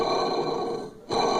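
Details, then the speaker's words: Electrolux LTC 10 washing machine, motor pulley turned by hand with pulley kit removed; gritty rough grinding that fades then returns, worn motor bearing causing the noise during wash agitation, bearing to be replaced. "Olha. Você poderá ver que realmente o motor está com muito barulho, certo? Então esse barulho, na hora que vai lavar, ele faz cré, cré, cré, cré. Vai barulho e volta barulho."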